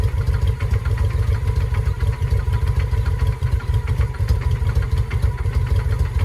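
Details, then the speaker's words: 2007 Honda Shadow V-twin after a new clutch: low, lumpy, uneven thumping about three beats a second with no steady rhythm. It knocked earlier and seized briefly during an oil check while running; oil was drained. Still sounds bad; cause unknown. "I've never done a clutch on a motorcycle. Not sound very good still."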